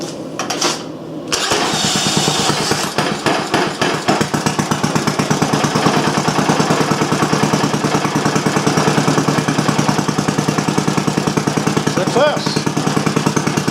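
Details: Old single-cylinder Briggs & Stratton on bench with new Champion J8C plug and external coil: short crank, catches at once, settles into even regular putter about three beats a second, cold; normal running.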